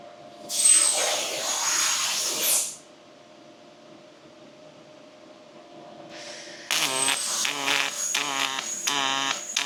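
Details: Fronius robotic MIG welder: two runs of crisp, steady arc crackle, the later harsher and more pulsed; vertical-down and horizontal passes are programmed with different speed, wire feed rate and amperage, horizontal taking more heat, hence the sound difference; welding normally.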